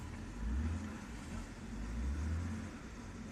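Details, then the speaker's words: 2007 BMW 328i after fixing a crank-no-start by bypassing the crash cutoff fuse; low steady petrol burble with gentle rev swells, no misses or knocks, starting and running normally. "fire the thing up voila you know what i'm saying cars running right now as we speak"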